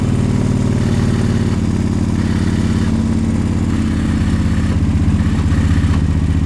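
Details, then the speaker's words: 2009 Moto Guzzi Norge 1200, 13,000 miles, air-cooled longitudinal V-twin with GPR muffler, idling with the clutch pulled: steady lumpy twin idle with a light dry rattle, like a Ducati's infamous dry clutch noise; normal dry clutch rattle. "it has the dry clutch noise that's infamous ducati noise this one actually has that too i'll start it up i'll uh pull the clutch you guys can hear it"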